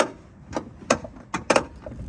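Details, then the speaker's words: 2014 Toyota Camry door: irregular hollow clunks and knocks each time the door swings; door check/stop missing a mounting bolt so it's loose, fixed with bolts from a donor car. "I hate that sound. So what that is this door stop right here is just missing a bolt. So whenever I move the door, it like is loose in there."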